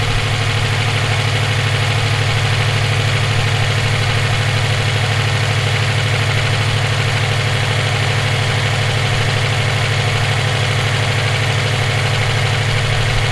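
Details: EJ257 at idle: a dull, even knock sits under the engine note, present for about 17k miles since purchase; owner suspects rod knock, a spun bearing or valve lash needing adjustment. Bottom-end or valvetrain knock, cause unknown.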